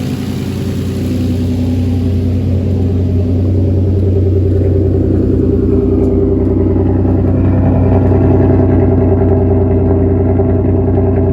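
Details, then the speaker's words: Engine idling after swapping in Nissan GTR iridium spark plugs on a tuned 7th-gen Nissan Maxima with 6-speed manual swap: steady, even smooth low rumble, no misses, ticks or knocks over eleven seconds; sounds healthy. "Seems like it's fine. You guys hear how healthy that thing sounds? Oh yeah."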